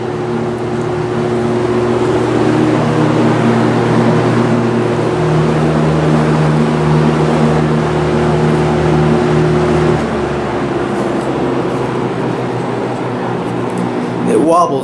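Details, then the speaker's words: 1970s Lakewood S-223 box fan with a 2.3 A Westinghouse motor, on high and warmed up: loud, steady buzzy motor hum over the airflow rush with a slight wobble. Owner is unsure whether this is normal. "not sure if you can hear the motor humming or not but it's quite noticeable"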